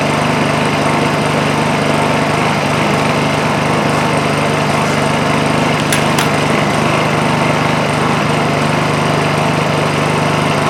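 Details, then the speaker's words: Honda EU2000i inverter generator running under a drill load after a completely plugged muffler was replaced: steady, even drone that throttles up slightly as the load comes on; runs smooth and healthy. "as you can hear it pick up uh throttle up a little bit under the load of the drill not bad that's that's not bad at [Music] all"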